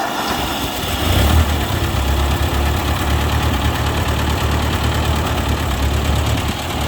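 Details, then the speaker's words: 1956 Ford 640 tractor, first start in years after draining tank and freeing stuck carburetor float: steady low even idle rumble, no knocks or misses; running well, black smoke seen, shut down because oil pressure gauge read nothing. "okay guys it ran pretty good this gauge on the oil pressure is not reading so that's why I shut it down I'm not sure if it's the gauge broken but I don't want to risk it but overall it sounded like it was running pretty good"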